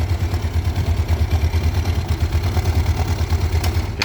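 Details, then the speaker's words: Yamaha Mio scooter that had been hard to start for about a month due to compression leak: after valve clearance adjustment it starts easily and idles steadily with an even low thump and normal idle, then is switched off as oil sprays with the cover off. "Nih udah hidup ya. Motor aman. Jadi gampang banget hidup karena motor ini enggak pernah mogok dan langsam pun normal nih."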